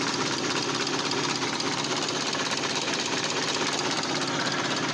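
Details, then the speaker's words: SAAB 9000 turbo abandoned 5 years, first start on new battery and new spark plugs: uneven lumpy idle with shaky chattering beat around two per second, engine shaking and starting to die; rough running, owner suspects misfire, no smoke. "so i wasn't expecting that it runs from the first start basically just i just uh was a bit afraid and restarted but oh man the engine seems to run really rough i'm not sure what's that why is like that but"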